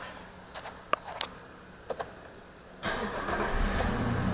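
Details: 2002 Jeep Liberty 3.7 swapped engine restarted after erasing three stored codes: a few clicks, then catches at once and settles to steady, even idle with no stumble; check engine light stays out, coolant level good.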